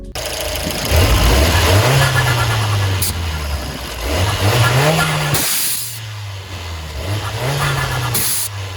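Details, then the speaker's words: Fiat 124 Spider Abarth turbo with Forge atmospheric blow-off valve, pulled over after driving: revs rise and fall with only a weak short puff on lift-off; valve barely venting, later traced to a kinked vacuum hose. "i'm driving blow valve is barely going off and i pull over and this is what i hear right away"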